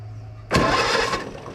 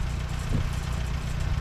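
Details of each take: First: Co-op E3 tractor (about 1947) after years of sitting, started with starting fluid: catches and sputters unevenly about a second before fading; poor carburetor, needs carburetor work. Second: Co-op E3 tractor (about 1947) after years of sitting, later start, chains off: steady low even idle with a few brief early bumps, settling smooth; healthy, though fuel leaks.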